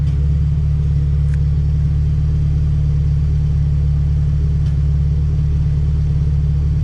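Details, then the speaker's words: Honda Civic Si EK coupe, B18C1 GSR swap with Precision turbo, after tune refined: deep even idle, steady low rumble with no stumbles, misses or ticks; air-fuel ratio "pretty dialed", runs smoothly. "air fuel is pretty dialed um yeah can't wait to see what this thing is going to do"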